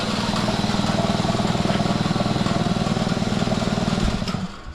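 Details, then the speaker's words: The shop's other air compressor kicks on while the first compressor is apart for repair. Steady low chugging at about four pulses a second, even and strong before tailing off; normal compressor running. "figures in the middle of the talking and the other compressor kicks on"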